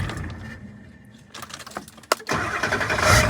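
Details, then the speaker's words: Ford 7.3 Powerstroke diesel after a 100-mile drive, restarted to check battery: brief crank, catches immediately, steady clatter; normal start, battery light on. "Well, it fired right up. That means there's no problem."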